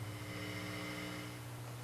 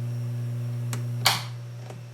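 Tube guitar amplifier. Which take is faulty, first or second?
second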